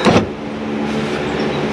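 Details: 2004 Nissan Armada power window during window regulator replacement. Steady, even motor hum for over a second with no grinding or binding; the window motor and regulator work normally.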